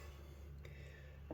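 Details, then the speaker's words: eRacing Lab RS Mega Ultimate 7DOF sim rig after one year of rally use: faint sharp knocking clicks over low actuator motor hum, caused by flex and play in a dry rose joint. "this has got um a little bit of flex in this Rose joint which is causing the knocking"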